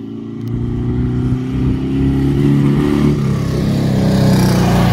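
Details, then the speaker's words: Dune buggy after a transmission mount replacement and carburetor clean and retune, driving past: a lumpy, uneven engine note with chatter. It still runs rough; the carburetor and front transmission mount are suspected. "still got a little bit of chatter in it we might look at the front mount on the transmission yeah could use some carburetor work that sounds real bad"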